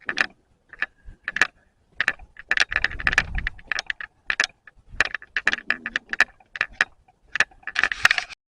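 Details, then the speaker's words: Video camera carried while walking through a garden: irregular light plastic clicks and rattles in bursts with each step from a loose on/off power switch knocking in its housing; owner also finds audio recording unclear. "so ich laufe jetzt mal durch den Garten damit man das Klappern hört"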